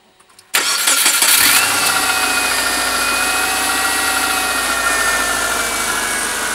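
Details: 2001 Subaru Forester L, recently bought, no power loss: engine cranks, catches and settles to idle with a light, uneven clicking over it; cause unknown.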